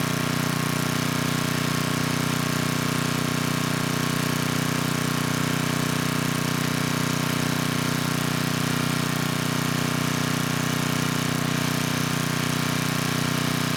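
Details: 10hp Tecumseh HM100 on a 6000 W Western Hemisphere generator with a replacement Oregon 50-656 carburetor, choke off after about 30 s: steady, even hum at constant governed speed with no hunting or misfire. Normal steady running.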